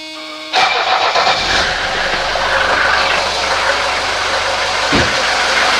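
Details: 1983 Mercedes 240D diesel after greasing and refitting the throttle linkage: starter burst, engine catches at once and settles into steady even diesel clatter; starts and runs cleanly, later giving full throttle travel.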